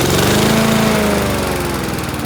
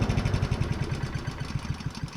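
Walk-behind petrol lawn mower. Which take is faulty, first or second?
first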